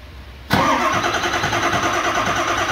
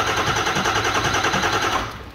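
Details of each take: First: 2000 Ford F-350 7.3 Powerstroke that dies when warm and cranks no-start hot, during an HPOP dead-head test with the IPR fed: even starter churn for about four seconds. A good high-pressure oil pump building pressure normally. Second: 2000 Ford F-350 7.3 Powerstroke diesel during HPOP dead-head test, pump unhooked and IPR not energized: steady, even cranking with no catch or fire; no start because the injection control pressure regulator isn't powered and no high oil pressure builds.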